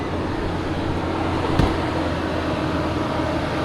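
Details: Nissan Xterra just after replacing broken muffler pipes with Walker Quiet-Flow mufflers and a new pipe to both catalytic converters: even steady idle rumble with no rasp, blatting or leak hiss underneath; exhaust sealed, nice and quiet.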